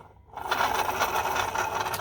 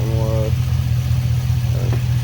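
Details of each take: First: 2005 Chevy Silverado 5.3 V8 water pump, off the engine and spun by hand: rough, gritty grinding compared with the silent new pump; pump was leaking coolant at the back and making a racket. Worn water pump bearing. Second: 2005 Chevy Silverado 5.3 idling about 10 minutes after a part swap to cure a dripping water leak and an intermittent racket; deep, steady idle with no knocking, rattle or bearing rumble; normal idle.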